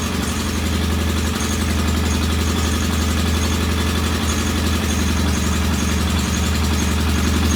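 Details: Norton P11 vintage British twin at first start after a full carburettor strip and fresh gas: steady but slightly uneven, lumpy idle; one pilot jet isn't following adjustment like the other side's, to be cleaned in case something broke free.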